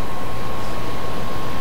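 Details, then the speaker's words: HP DV4/DV6 laptop with overheating issues, under a stress test as it rises from about 51–53°C to 65°C: a loud, steady rushing whoosh with a faint constant tone near one kilohertz as the fan runs flat out. "that doesn't sound good that sounds pretty bad"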